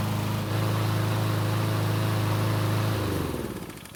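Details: Free Cub Cadet mower, small single-cylinder engine, working fine for two months before its later revving up-and-down problem after refueling: holds steady buzzing speed without surging, then winds down as it shuts off; normal running.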